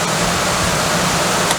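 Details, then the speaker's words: HVAC blower motor mocked up in a vise, run with no debris: steady, even fan rush with constant hum, no ticking or scraping; normal healthy blower operation. "So here we have a blower motor mocked up in a vise, and I'm gonna go ahead and turn this blower motor on to prove that it's in good working order."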